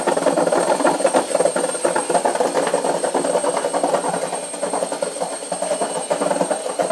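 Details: A washing machine runs loudly, with irregular clattering and knocking over a mid-pitched rumble and a faint high whistle throughout; cause unclear.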